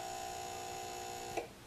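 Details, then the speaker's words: Leviton LTB30 exhaust fan wall timer, replaced twice, failing after about a year: a steady, tinny electrical buzz ending in one click, its relay chattering. "so this is a timer for an exhaust fan in my house and I replace it twice and after about a year it does this"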